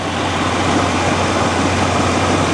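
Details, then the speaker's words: 1984 Chevy C20 Silverado with an Edelbrock carburetor, after fuel system repairs, just started cold with the choke beginning to open: low, steady V8 hum with an even beat, no stumbles or misses; a smooth, quiet idle. "man you can damn near balance a dime that sounds beautiful doesn't it listen how smooth and quiet this thing is the choke is starting to open up"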